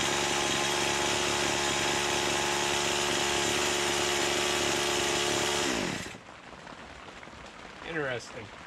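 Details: Stihl MS170-type saw with an Amazon motor and a Stihl carburetor in place of the Holzfforma carb: high steady buzz holds through the cut without bogging, then drops cleanly to idle; saw pulling well.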